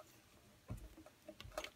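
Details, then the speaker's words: Chevy front brake with grinding noise: dull metallic clunks and clicks as the loose caliper is wiggled by hand; over bumps the pad grabs the rotor causing the grinding, and the caliper got very hot. "that whole caliper is loose hear that that whole thing the whole thing is loose so when you over bumps the brake pad grabs on the rollor and that's what you hear is that noise"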